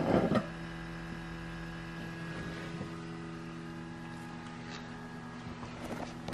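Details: 2019 Subaru Crosstrek parked with engine off; faint steady electric buzz heard periodically after parking, the normal fuel/emissions (EVAP) system self-test noted in the owner's manual.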